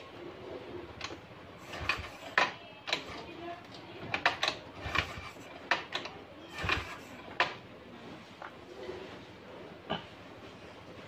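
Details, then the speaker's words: Honda Vario 125 scooter after repair of a jammed kick starter, lever tested: several sharp clunks and ratchet clicks as the lever is kicked and snaps back freely each time. Kick starter light and returning normally. "Dan hasilnya, kickstarter ini mudah dan ringan. Dan itu bisa kembali lagi , kawan."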